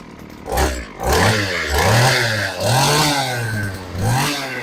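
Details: STIHL hedge trimmer two-stroke on fresh fuel, primed before carb adjustment: buzzes unevenly, revs swinging up and down about every second and never settling; needle adjustment planned, cause suspected, not confirmed.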